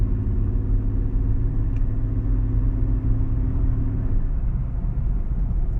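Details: Mercedes CLK 320 V6 idling with a deep, uneven grumbling misfire; cause was mis-gapped spark plugs and misfiring coil packs.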